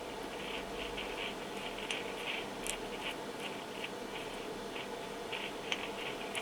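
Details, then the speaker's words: Yaesu FT-7800 radio with PTT pressed and no modulation: irregular scratchy crackles over a quiet hiss, the noise heard on transmit. First suspected as loose or broken wiring; the cause is a poor solder joint on the mic capsule ground. "and that is clearly the noise what will be heard uh during a transmission and it seems that it is here something uh in the wiring so maybe a loose connection or a broken wire"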